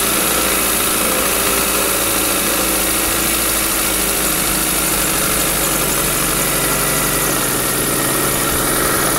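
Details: 2000 Chevy Metro run low on oil and recently overheated from a bad coolant hose: rough, uneven idle with hard metallic bottom-end knock; compression 140/15/50/140 psi, rod bearings on cylinders 2 and 3 suspected.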